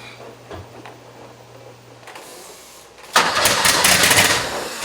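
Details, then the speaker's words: 1977 Porsche 911 Turbo, first start after rebuilt ignition distributor from mixed parts, after long cranking: quiet then sudden harsh catch into an uneven ragged run, not firing on all cylinders, timing at its adjustment limit; rough misfiring start, faulty distributor. "I've been cranking on this thing for quite a while now, and well, it still has a problem. I can hear a couple things happening. First thing is that it's not running on all the cylinders."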